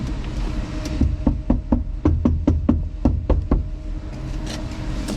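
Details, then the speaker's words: Nissan Sunny truck (Datsun 1200) door after sound deadening: about ten quick knocks on door skin give dull short thuds with no ringing tail; panel resonance gone, well damped. "Huge difference. So all that resonance and ring has gone out of the panel. It's all gone."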